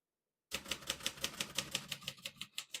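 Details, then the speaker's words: Serviced 1957 Royal Quiet De Luxe portable typewriter: crisp, evenly spaced key strikes about three per second, with no keys skipping or sticking; normal typing. "you can see, all the keys type nice and none of them skip or stick."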